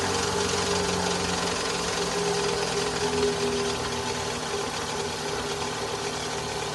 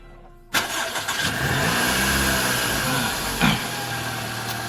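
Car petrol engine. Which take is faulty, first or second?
first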